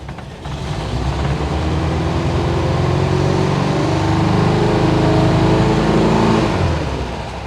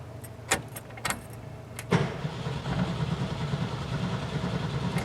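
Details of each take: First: 1972 VW Bus air-cooled engine, carburetor leak fixed, with a massive oil leak and thin overfull oil: catches and builds to a steady, even chatter, then eases to idle, firing regularly; oil light off, warm-ish, exhaust smoke puffing, owner hopes it's leftover. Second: 1972 VW Bus engine with a massive oil leak and a no-run fault. It cranks, then the starter clunks and stops, and later cranks over into a rough steady idle. Intermittent starter engagement; the owner hopes it is a loss of signal, unconfirmed.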